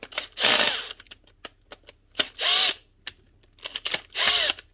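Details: Makita DTD154 brushless impact driver before repair, apparently dropped from a height: short, harsh, uneven high whirring with rubbing, running rough. The needle bearing in the front gearcase has collapsed.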